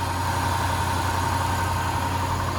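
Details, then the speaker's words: Land Rover 5.0 or 5.0 supercharged V8 after a timing chain and guide check with a healthy, taut tensioner: quick cold start, then a smooth, steady idle with only light, even valve-train and injector tick, no chain slap, hiss or rattle; normal idle. "No chain noise, slapping, hissing, clacking. Just normal valve train injector noise. Just what you want to hear and see on it. And there it is, idling nicely."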